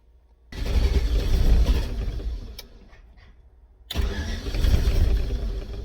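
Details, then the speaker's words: Volvo with manual fuel pressure regulator, first start after sitting all winter: rough catch then lumpy uneven idle, pings and backfires badly with any throttle, smells rich; owner suspects fuel pressure set wrong. "so it sounds like you give it any gas it kind of starts to ping and like uh backfire pretty badly so something's up with that we're going to look into that and it smells like it's running rich too"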